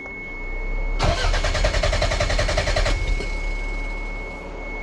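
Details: Toyota MR2 with a JDM non-VTEC engine, towed in as a no-start, fuel possibly stale: steady starter cranking about four beats a second for two seconds, engine never catches: crank no start.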